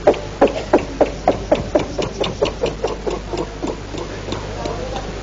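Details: Bangladeshi engine-powered riverboat being started: run of sharp knocks about three per second that slow and fade out; it misfires, turns over but never catches, the engine is suspected to be jammed.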